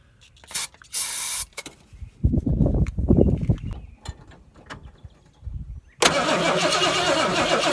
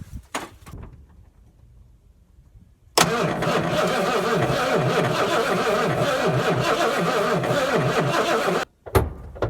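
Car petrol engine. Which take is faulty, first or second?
second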